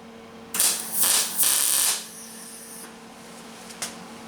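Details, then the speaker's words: Welder on a 1977 Camaro Z28 quarter panel/trunk repair: short bursts of harsh, steady hiss without the usual bacon-like crackle; turning up current didn't help; still welds, cause unknown. "I don't know what makes the welder do that you hear it's not crackling like bacon it's just kind of turned up the current that didn't help"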